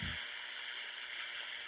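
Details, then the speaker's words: CB radio base station, walkie-talkie receiver checked near the house: steady hissing static with no signal, which drops off moving away from the house toward a quiet spot; strong electrical interference noise. "away from the house you hear that dropping off and right here is The Sweet Spot on my entire property where there is no noise"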